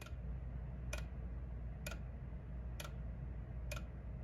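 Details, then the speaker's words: GE Z-Wave ZW4005 one-way smart light switch ticking: sharp, dry ticks about once a second over a low room hum, which began after a brief power blink; the switch was replaced. "the power blinked very briefly and the next day when i went downstairs i heard what you're about to hear which is an ominous ticking"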